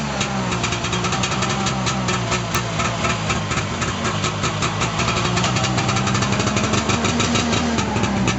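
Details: 1989 Arctic Cat Jag 340 two-stroke snowmobile, all original, cold start after at least 10 months sitting, about -22 °C overnight; steady ring-ding idle about four beats a second, holding even without stalling; normal two-stroke idle.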